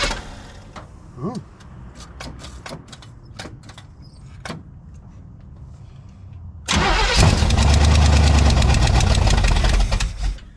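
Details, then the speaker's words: 1971 Chevelle wagon cold start at 47F after sitting 3-4 weeks, gas pumped on the carb: brief crank, loud rough catch, settles toward lumpy idle; it smokes, unattached passenger valve cover leaking oil. "There she is. We're back in the shop. Yep, it smokes."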